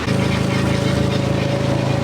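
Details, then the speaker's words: Forklift at steady speed with a constant mid-pitched whine over a pulsing engine. The sound suggests no transmission fluid and air being sucked in; the cause is unconfirmed. "you hear that yeah it sounds like it has no transmission fluid like sucking in air"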